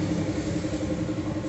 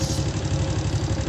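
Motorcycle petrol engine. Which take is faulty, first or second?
second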